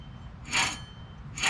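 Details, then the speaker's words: 2003 Toyota Corolla 1.8 automatic, brake drum removed, rear hub turned by hand: two gritty, hissing rasps, rough rather than smooth; the rear wheel bearing/hub assembly is worn out and due for replacement. "first we're going to be removing the brake drum if you can hear it's not smooth"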